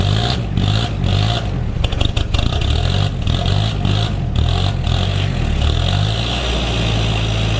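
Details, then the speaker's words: Diesel ute "Clifford" cold start, glow plugs suspected due for replacement: engine catches and runs lumpy and uneven, note wavering and clattering; rough cold start, cause unconfirmed. "such is the cold starts on cliffy here's why you should change your glow plugs regularly"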